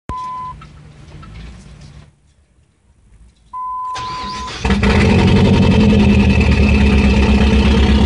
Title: Srt4 rough idle?